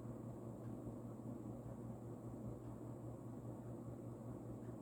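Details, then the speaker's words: Vintage, probably early-to-mid-80s Union 'Super-36' 36" spinner ceiling fan, model 4CLW-3SPC, rebalanced, on medium speed, nearly as fast as high: soft steady motor hum under a gentle airy whoosh, no rubbing or clicking; running smoothly. "there's not much of a difference between high and medium honestly medium is still really fast"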